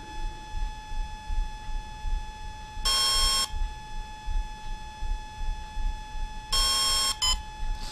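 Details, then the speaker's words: Volcano 30A brushless ESC on a 450 RC helicopter in programming mode: a long beep then a long followed by a short one, signalling the timing setting, menu item six. "so that was timing a long beat followed by a short one that was step six"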